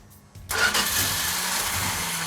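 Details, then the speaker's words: 340 Plymouth Duster, cold first start after build: starter spins engine steadily with a hissing whirr but it never fires; no fuel in it yet, cranking to build fuel supply. "hey mark it's not firing well there's no fuel in it it's i was just going to crank it and let it build"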